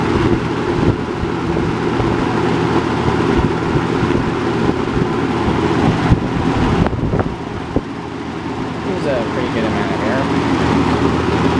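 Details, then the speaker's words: Robeson box fan model 2306, three-speed, 2.4 A motor with surface rust on motor bars, running on high: steady, even rush of air over a low motor hum, no rattles or ticking; normal running. "but anyway let's turn it on now it's three speeds and here's high"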